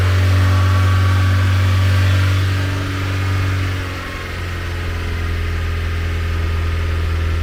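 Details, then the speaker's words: Renault 11 TXE engine just cold-started on choke, holding about 1500 rpm briefly: steady low drone sags and dips around three seconds, struggles back up, then stalls; unstable idle. "Ah non, elle cale. Oh, ça l' tenu un petit moment à 1500, c'est dommage."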